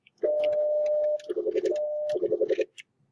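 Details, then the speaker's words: Stepper motor driving a carriage along a linear actuator via serial commands: steady stepper hum cuts into rapid choppy bursts as stop is pressed several times; non-edge-triggered contacts send repeated commands, so the carriage stutters when stopping. "press it several times and you want to see if you can kind of watch and carriage actually do a little stuttering when I'm trying to stop"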